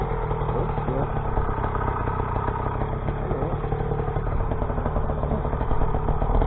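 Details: Rebuilt YD100 two-stroke, re-bored to 51mm with larger piston, running on E85/C85, after piston blew at ~13k rpm; on a ride, heavy wind roar partly buries an even buzzing drone without misses or clatter; normal running.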